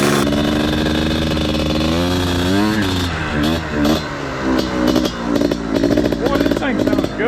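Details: Honda Odyssey FL350 two-stroke after overhaul with new expansion chamber, muffler, carburetor, intake and liquid-cooled head, run hot toward 1100° for tuning: crisp, buzzy note rising and falling cleanly with throttle, no knock or misfire; healthy.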